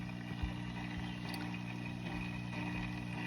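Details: New Top Fin Indulge 3-gallon aquarium filter humming steadily with irregular low gurgles and bubbling. This has gone on for two nights and persisted after the filter was cleaned.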